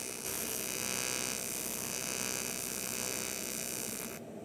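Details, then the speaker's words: Eastwood TIG 200 AC/DC welding aluminum with a contaminated tungsten (black ring); harsh, raspy crackling buzz that wavers instead of a smooth hum, arc wandering and sounding wrong. "Again, you could just tell right away something was up, right? You got that black ring around. It sounds different too. It doesn't sound right."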